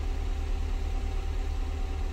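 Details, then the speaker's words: Renault Twingo GT Gordini with P0300 multiple-cylinder misfire code, cold idle before service: low, lumpy burble with uneven beats, slight misfire; lambda sensor suspected, plugs, air filter, oil service planned, cause unconfirmed. "there's a slight misfire. It's sort of burbling rather than running smoothly. Let's let it warm up and see what happens."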